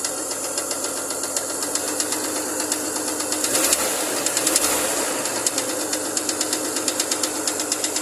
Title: Двигатель, Chevrolet Lumina APV, стук мотора 3.1, V6, на "холодную"...